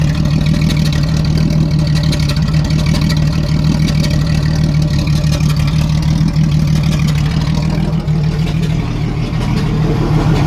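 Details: 1987 Jeep Cherokee Renix 4.0 idle: loping, uneven beat with recurring stumble from a dead cylinder; cylinder 6 exhaust rocker moved less, traced to a sticking exhaust valve or bad lifter; loosening its rocker bolt smoothed the idle, leaving a slight tick.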